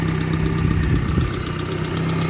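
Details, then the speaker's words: 1995 Suzuki Sierra/Samurai with G13B engine conversion at steady idle: a light, quick tick keeps pace with the engine, typical of noisy lifters; owner says the tappets have been ticky and hopes an oil additive will quieten them. "I've had the tappets, the lifters have been a bit ticky. You can hear it, so hopefully that goes away once this additive runs through it."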